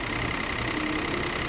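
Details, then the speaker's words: 2017 Peugeot 208 1.2 three-cylinder after repair with the belt tensioned and genuine parts: the front whine that had grown over time is gone, leaving an even, quiet, healthy idle. "Eliminou o barulho. O zunido que tinha na frente aqui parou, tá? Pode desligar. Sem barulho nenhum."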